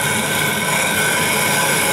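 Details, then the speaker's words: Grinding a 12.5-inch telescope mirror blank on a fixed-post machine with a sub-diameter tool and wet grit, hogging to about 0.156-inch depth: loud, even, gritty hiss-and-grind with no knocks or skips; normal abrasive grinding. "so carefully put it on there and you're going to hear it grind instantly nice loud grinding grinding noise is great just move it around a little"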